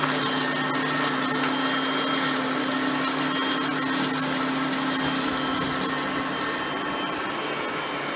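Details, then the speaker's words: Oreck XL Platinum lightweight bagged upright on high speed, picking up crushed stale chips: smooth, constant high-pitched whine with steady airflow rush, no rattles or surging. Normal running, quiet vacuum. "and as you can hear both are pretty quiet vacuums for being that there are both direct"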